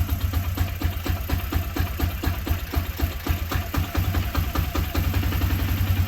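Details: ATV single-cylinder after a new, gapped spark plug was installed, started on choke: quick steady idle with even firing pulses and a deep thump, catches and settles cleanly, running fine.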